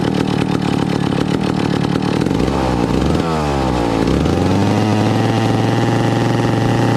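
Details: 1962 McCulloch 1-46 chainsaw, revived after lacking its carburetor and other parts: loud, even two-stroke buzz rises cleanly when revved about halfway, then holds a steady high speed; runs properly.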